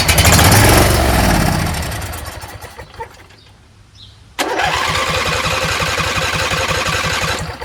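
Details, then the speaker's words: Husqvarna YTH20F42T lawn tractor repowered with a Briggs 21HP V-twin, long unused, choked: the starter cranks steadily without catching. Fuel reaches the carburetor, so a dirty carb or a non-working fuel solenoid is suspected. "Fuel is going to the carburetor, which means the carburetor is probably trashed. Carburetor's probably dirty. Or maybe this fuel solenoid is not working."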